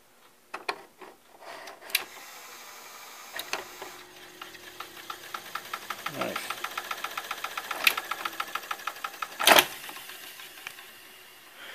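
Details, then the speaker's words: 1981 RCA SelectaVision CED VideoDisc player stopped and spinning down: short scrape as the platter lowers onto its felt brake, then a quick even run of light ticks; normal brake contact, not the disc scratching the platter. "when the carousel when the platter lowers down it hits a felt breake that's what it does I thought that noise was actually the disc scrap scratching against the um platter itself"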